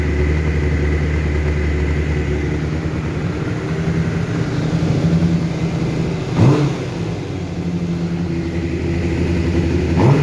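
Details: 2012 Honda CBR600RR, 18,000 km, full Yoshimura exhaust, after limp mode and new sensors, with the new TP sensor turned left: two throttle blips sound coarse and loud at higher rpm. Rough running when revving; owner suspects the TPS needs calibration.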